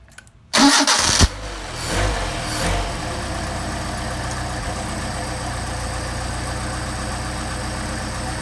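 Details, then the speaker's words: Mercedes 190SL with Solex carbs that sat a long time, start before warm-up: fast even high idle, reading about 13,400 RPM; air leaking past worn carburettor butterflies holding it up. "well, that's about 13,400 RPM idle. Let it warm up a little bit."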